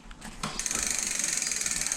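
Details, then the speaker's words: Budget Hyper Explorer full-suspension mountain bike, rear disc brake after caliper realignment and backing the inner pad adjuster out one turn: fast, even freewheel ticking with no scraping; no brake rub. "i don't hear rubbing anymore"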